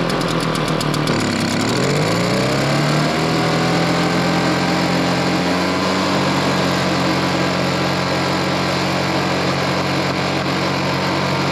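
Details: RedMax EBZ5150 blower after draining old gas: the engine climbs from a low note over the first few seconds, then settles into a steady, even buzz; runs clean, normal running.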